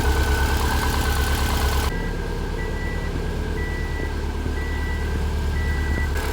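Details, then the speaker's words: Built 2007 Subaru STI ("Hawkeye") first start, fired with a touch of gas: steady, even low idle with a regular pulse and a chime beeping in the background; settles smoothly and sounds healthy. "try to give it a touch of gas when you fire it there we go oh yeah that's healthy"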